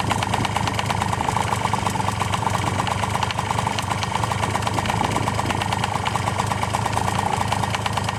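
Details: Honda Tact AF24 scooter, cold idle, knocking began along with heavy smoke: fast, even patter with a light tapping on top; knock of unknown origin, owner doesn't blame the clogged muffler for the smoke.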